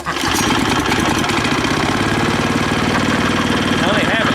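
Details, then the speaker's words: Neighborhood go-kart small single-cylinder engine, possibly a replaced engine, idling on choke while warming up before a test drive: quick, steady, even beat with no misses or knocks, normal idle. "right there still there it is we'll let that warm up for a minute and then I'll take it out for a test drive"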